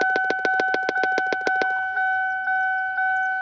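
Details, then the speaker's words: 2002 Lincoln LS V8, key in ignition; relentless fast popping about seven per second over a steady whine from a large speaker found under the dash, stopping when unplugged, cause unknown. "I found this speaker. The speaker is actually where the sound is coming from."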